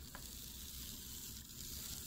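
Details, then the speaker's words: HO scale Bachmann PCC trolley rail bus after motor cleaning/repair, running at high speed: tiny motor with rough, hissy buzz instead of smooth whir, still a little noisy. "Not doing too bad. It's still a little noisy."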